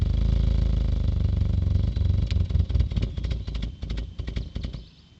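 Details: Engine misfire: uneven, stumbling beat with irregular dropouts as it winds down, caused by one fuel injector spraying poorly and delivering about 20% less fuel than the others.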